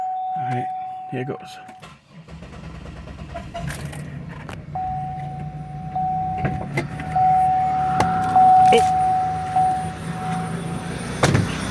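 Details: 2002 Buick LeSabre first start after replacing upper and lower intake gaskets, valve cover gaskets, EGR chimney, thermostat, PCV valve and coolant elbows; after warning chime catches near two seconds into low, steady idle, no knock or tick; normal idle.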